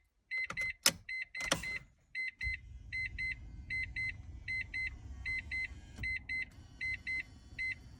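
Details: Mazda RX-7 (1994) airbag diagnostic module test after recapping and rewiring, ignition on; two quick high beeps repeating about once a second over a low hum, then stopping, with no fault flashing. Module works; normal airbag chime.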